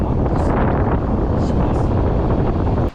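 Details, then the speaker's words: Newly fitted electric air conditioner in a 1973 VW Type 2 bus, auto cooler on max: loud, steady rush of air at full fan speed that cuts off sharply, then turned down to about 1; blower running normally. "Max compressor. It's starting to move, so I'm making wind noise, so let's turn it down a bit."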